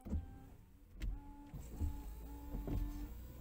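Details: VW Golf 4 rear window washer after swapping in a replacement nozzle (jet) from another car: short bursts of steady small electric pump whine with low thumps, washer spraying the rear glass well; pump normal, the nozzle was the fault.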